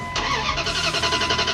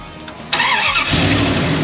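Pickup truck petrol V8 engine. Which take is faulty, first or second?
first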